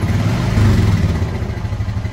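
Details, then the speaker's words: Fuel-injected Honda Foreman 520 after fuel pump replacement (previously stalled on throttle): engine picks up cleanly on each blip, deep even pulses, no stumble or dying; normal revving. "sounds good so everybody in my mind that's the fix fuel pump"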